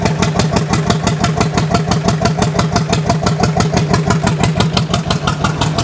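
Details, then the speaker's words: 1929 John Deere GP twin, first start attempt after restoration, choke off: loud slow popping about three a second, lumpy and uneven, runs like one cylinder; possible dead cylinder, owner suspects dirt on shield burning off, improving as it runs. "I think it might be burning that dirt off the more it runs the better it sounds"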